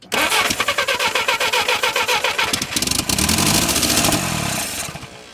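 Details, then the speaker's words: Barn-find Willys Jeep four-cylinder with a new coil and spark plugs, running only on the hand-filled carburetor float bowl. It cranks, catches and chuffs unevenly for a few seconds, then sags and dies. No fuel supply. "Look at that. Well, it ain't got no more gas. Ain't got no gas in it."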